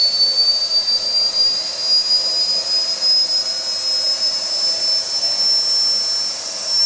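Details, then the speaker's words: SWIWIN SW220B micro jet turbine on test stand, first raw factory-settings startup at about -24°C; high whine creeps up slightly then holds flat, hanging on fuel ramp because tank vent plug was left in, restricting fuel; fuel-starvation startup hang. "it hung a little bit on the fuel ramp now that's my fault i forgot to take my vent plug out of my tank so it was restricted sucking fuel"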